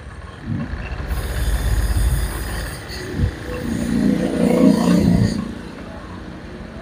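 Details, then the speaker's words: Honda Vario 125 with severe brebet; fuel pump pressure normal. Hot-engine O2 sensor reads only about 0.1 V and won't rise even at full throttle. Throttle blips rise unevenly, stumble and sag; faulty O2 sensor causing hesitation, reset only helps about a week. "bisa naik tapi kurang sempurna mungkin intinya Jadi kurang begitu mengikuti gerakan atau kurang mengikuti suhu di bagian dalam mesin"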